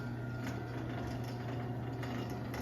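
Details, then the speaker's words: LiftMaster 8355 opener on original 1245 rail with tight tension, driving an 8x7 Wayne-Dalton 9100 door in a low-ceiling garage: steady motor drone with faint buzzy rattle, the trolley vibrating; door coasts softly to the floor. "it sounds like the trolley vibrating. And this one coasts nice and soft on the floor."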